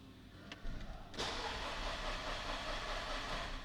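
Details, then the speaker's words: 2008 Škoda Octavia 2.0 FSI after new plugs, fuel pressure regulator replacement and adaptation (compression 11 atm in all cylinders): it cranks, catches and runs ragged with no steady beat, cylinders 2 and 3 misfiring from a failed ignition coil. "the second and third cylinders do not work I replaced the candles I need to check the coils checking the coils one coil works"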